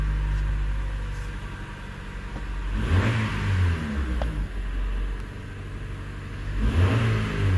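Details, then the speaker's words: Engine blips twice, revs climbing and dropping cleanly with a steady idle; runs well with the aftermarket fuel pump still working, after it failed on the original wiring, which couldn't handle its higher amperage draw. "Run's good yeah pump is still working I can hear it"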